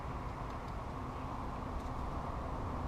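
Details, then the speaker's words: Removed front hub/bearing assembly from a 2000 Chevy Cavalier/Pontiac Sunfire, 150,000 miles, turned by hand: steady rough, gritty rumble of a worn, dry bearing, replaced with a new one. "That's the sound of a bad bearing. And as you can hear, after 150,000 miles, it's pretty dry too."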